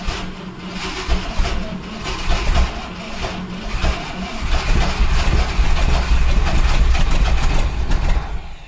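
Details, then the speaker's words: 1971 Ford F100 big-block V8 on makeshift battery cables: cranking catches, then the V8 runs on its own with uneven, lumpy revs before dying away; fires and runs briefly. "that ran off its own steam. It's either going to start or it's going to burn down this time."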